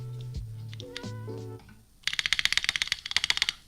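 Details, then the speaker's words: KBD67 Lite keyboard modded plateless (board not designed for plateless): bright rapid clacking with a loose rattle as the space bar jiggles in the case, audible vibration with no plate, sounds cheap. "okay this is where you definitely hear the vibration because there's no plate that sounds cheap don't do it all or two you hear that it's it's jiggling in the [Music] case"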